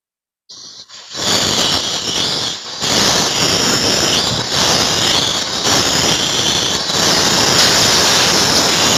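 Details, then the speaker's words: Chest freezer with a seized compressor, not cooling and blamed on low household voltage: sudden loud, steady high hiss as the line toward the condenser/evaporator is cut, showing the refrigerant charge is still present. "Freonnya dia masih ada karena memang dia kondisinya macet."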